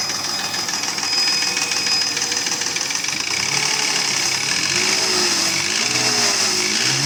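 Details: Mercedes ML320 with M112 3.2 V6, rough running with an uneven tapping knock about three per second: piston slap, pistons rocking in badly scored cylinders (engine not sleeved from factory).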